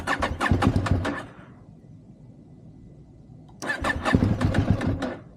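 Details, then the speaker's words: High-mileage KTM 790 Adventure, cold, about 40 on the temperature gauge, full tank, after double priming: two bursts of fast, uneven starter chatter, about four beats a second, neither catches; hard starting, owner suspects spark plugs. "She's taking a bit long to start. I might change the spark plug today cuz Rockweiler reckon I reckon he's right with that."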